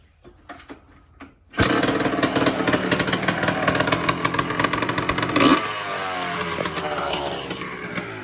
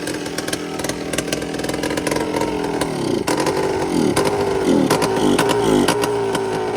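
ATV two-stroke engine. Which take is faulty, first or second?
second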